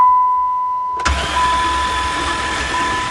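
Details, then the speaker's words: Van hydrolocked after being driven into a lake, intake manifold off and all spark plugs out, cranked to blow water out: starter spins engine fast and evenly without compression pulses, water drops flying; starter motor good. "sure has lots of water bow it already water's still flying I can see the drops well that's what the engine sounds like with no compression at least the starter motor is good"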